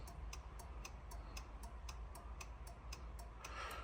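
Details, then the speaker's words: Fiat Doblo that won't start, heard right after reconnecting the battery: sharp, even relay ticks several times a second. Hazard flashers stay on constantly and the odometer flashes a code. "підключив акумулятор машина мигає аварійкою просто мигає аварійкою постійно мигає пробег мигає код"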